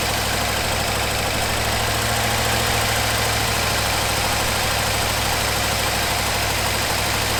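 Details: 1974 Ford F100 4x4 V8, long parked, restarted after fuel pump wiring rigged up: steady, even idle with smooth low burble, no knocks or misses; running healthy.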